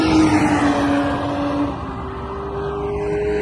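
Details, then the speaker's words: BMW Z3 2.8, exhaust changed from a 98 dB decat, no-resonator, stainless back box setup to a quieter one: smoother, less raspy engine tone inside the car, steady then easing; owner hopes it is under 90 dB for Thruxton. "but it sounds a lot nicer inside, a lot smoother, a lot less raspy, and hopefully it's now less than 90 decibels, so I can get on at Thruxton."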